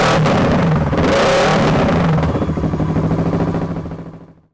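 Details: Kawasaki ER6/Versys 650 parallel twin, first start after fixing a charging fault with burnt connector wires replaced: it catches and runs with a quick, even beat and a few throttle blips, then shuts down cleanly; healthy.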